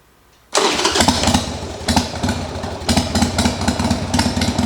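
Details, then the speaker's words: Harley-Davidson V-twin, left outside for years and now running again while its forks are being rebuilt, fires at once and settles into a lumpy but steady idle with clean, even pulses; needs slight adjustment, runs better warm. "[Music] because it sounds good I need a little bit of adjustment but it runs and when it warms up it runs even better"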